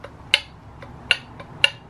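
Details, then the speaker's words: Turbo off a spare VW 1.8T BAM engine, shaft rocked end to end by hand: three sharp metallic clicks about half a second apart from excessive thrust play; thrust bearing judged shot, likely to smoke, rebuild advised. "much thrust movement for my life and can hear that so I think the thrust bearings absolutely shot on there"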